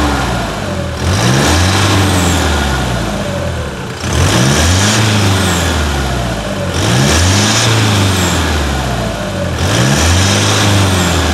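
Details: 2018 Toyota Hilux diesel after clutch replacement and service, with the throttle power chip removed: clean idle with four crisp blips about every three seconds, revs rising and falling smoothly, healthy engine.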